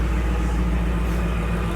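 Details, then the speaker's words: 2024 Ford F-150 V8 with a newly installed Whipple supercharger and long-tube headers, idling very loud after start: deep, even rumble with no misses or ticks; normal idle. "Make sure these cooling systems are both burped good now that it's running. And uh yeah, I'm I am pumped. This thing is so loud."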